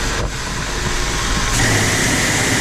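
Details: Landa VHP 5-gallon-per-minute 3000 psi propane-fired pressure washer after repair for no heat and shutting off: engine-driven pump rumble, then steady roaring rush and constant tone as the burner lights and holds; normal burner firing.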